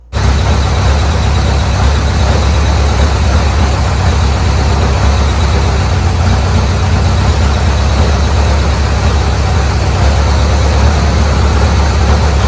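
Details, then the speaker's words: Old Bobcat 610 skid steer, Wisconsin petrol engine, next day, hydraulics being tested: loud flat even idle that never picks up; runs only on almost full choke and won't throttle up, carburetor suspected but unconfirmed; hydraulics work, bleeding off slightly. "said, that's on almost full choke to get it to run that good right there, and it won't throttle up."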